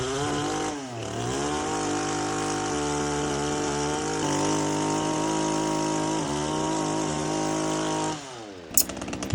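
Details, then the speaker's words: Power PRO24 24cc petrol hedge trimmer after carburettor replacement, filters refitted, cutting hedge with a clean steady buzz that revs smoothly; running fine. "as you can hear we' got a [Music] rev and it's working fine"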